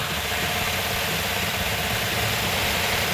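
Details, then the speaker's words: 1970 Cuda 340 V8, freshly rebuilt engine, first start, never run on an engine stand: steady starter churning, cranks but won't fire; possibly fuel starvation, cause not confirmed. "in this particular case it's not a good sign because it's cranking over but it's not firing"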